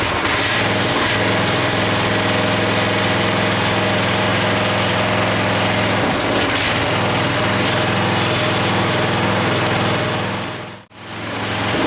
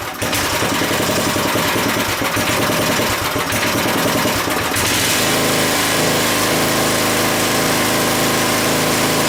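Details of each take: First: Craftsman 5 hp 14-inch rear-tine tiller, first run after carburetor cleaning: runs steadily but stays at a low, unchanging speed, never reaching full revs; the idle control cable is suspected of needing adjusting, and a bad diaphragm/fuel pump was the eventual issue. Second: Craftsman tiller after replacing bad fuel pump diaphragm, cold weather, before carburetor adjustment: small single-cylinder buzz runs crisp and even, revs up, holds steady, drops back cleanly; fuel delivery sounds healthy now.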